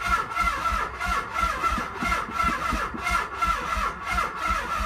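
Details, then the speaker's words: 1995 Nissan 300ZX, no battery fitted, cranked via jumper cables: slow, labored cranking about one turn a second that never catches or fires; owner reports no spark or ignition: crank no start. "okay so it looks like the jumper cables make a difference"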